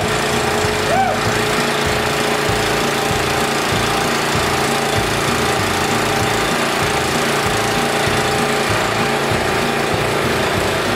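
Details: Honda GX340 engine on a Wacker generator, after fitting the correct gaskets with the original insulator and carburetor: the engine holds a steady, even chug at constant speed with no misses, surging or knocks. Normal running.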